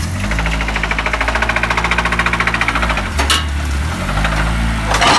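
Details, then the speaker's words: K-swapped Honda CRX petrol engine at idle: a loud, rapid metallic knock, roughly ten per second. It started knocking while driving on the highway. Rod knock is suspected, not confirmed. "It's about 30 minutes away from here, and as you heard in the video, it is knocking pretty bad."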